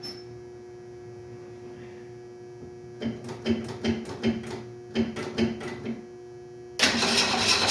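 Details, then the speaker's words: 1968 Ford Mustang: after a quiet hum the starter turns over in uneven bursts, then the engine catches loudly, likely only on priming fuel, and dies; suspected no gas in the lines, fuel pump unverified. "Got no gas in the lines, I think is the problem here."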